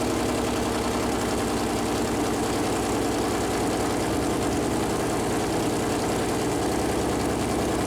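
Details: Freshly built Chevy Performance 454 big-block V8 on an engine run-in stand, first fire-up: loud, steady, even idle with a deep constant rumble, no knocks or ticks. Normal idle; an oil leak was found afterward where the plastic oil-gauge line touched the warm headers.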